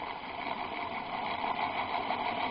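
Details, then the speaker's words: Used electric motor (previously on a vibration table and lathe) on a ZW-BT1 VFD at about 12–14 Hz: thin steady whine near 1 kHz over uneven hum, running rough and squealing; owner suspects worn bearings needing grease; runs fine at 40 Hz. "Так что уже подшипники немного посажены. Слышно шамотят. Добавляем частоту. 12. Вот на 14. Его что-то сильно колбасит-то. И пищит."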